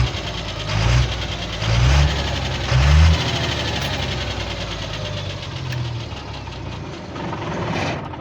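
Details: Cummins diesel idling with a heavy knock about once a second, strongest at first then easing. The cause is worn connecting-rod small-end bushings, after the owner had fitted new bushings machined for new pins; this is before repair.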